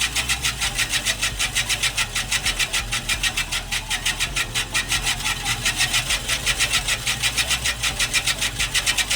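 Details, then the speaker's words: Scotts Classic 20-inch 5-blade reel mower with an electric conversion spinning the reel backwards, backlapping with 100–120 grit compound: a rhythmic scraping grind against the bedknife that starts crunchy, then smooths out. "Now, as you're spinning this, you're going to hear it grinding and then the sound is going to kind of smooth out."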